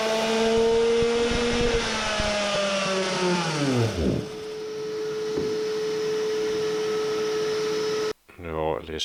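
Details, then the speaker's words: Tuned Samurai 40cc two-stroke on a dyno testing 22° spark advance dropping to 20° at 13,000 rpm; the high scream suddenly sags and dies as spark is lost at the top. A CDI failure is suspected, not confirmed. "fun ended pretty shortly most likely the cdi suffered another fail although it looked ok but i can fix that later"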